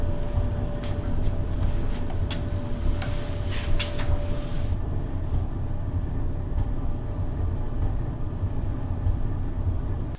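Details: Maytag 3000 series dryer after replacing the bad heating element and cleaning lint, run on normal, regular heat: steady low tumbling rumble with faint hum, no scraping or squeal; normal operation.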